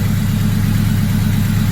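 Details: Freshly rebuilt turbocharged K-series engine, hot after running 15 minutes: smooth, even low idle with no knocks, ticks or squeals. No check engine lights, no overheating, cooling system bled; a healthy warm engine.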